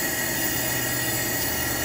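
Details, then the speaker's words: Coleman 424 dual fuel camping stove burner, lit and just turned down a little: a steady, even hiss-roar with no sputter or surging. The pressurized liquid-fuel burner is running normally. "so now what I'm doing is I'm just turning this down a little bit and look at that sucker man I love that sound"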